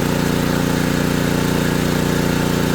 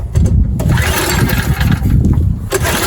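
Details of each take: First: ETQ3000 3000-watt portable generator after repair, under 1500-watt load: steady, even engine drone at constant speed, no hunting or misses; running normally under load. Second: ETQ3000 3000 W portable generator, choke on, recoil pulls: engine coughs and spins briefly but never catches; owner suspects it isn't drawing fuel. Cranks but won't start.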